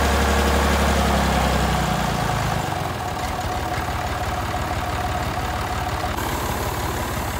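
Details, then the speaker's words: Massey Ferguson 30B diesel loader tractor, first start after sitting over 14 years: a deep, even diesel clatter settling to a steady idle. It sounds strong and healthy, though the steering isn't working. "looks like it's gonna have a few bugs to work out but overall it sounds like a pretty strong running little tractor"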